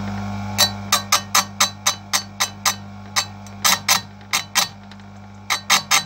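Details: Electric chainsaw chain sharpener used correctly: steady motor hum with about a dozen quick, light grinding touches and short pauses so the cutters stay cool, avoiding overheating the chain; correct short-burst sharpening.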